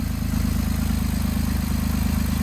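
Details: 2008 Jeep Wrangler idling after starter and battery replacement, 14 volts at the battery: smooth, even low-pitched idle with a steady pulse and no knocks or ticks; alternator good, engine runs cleanly.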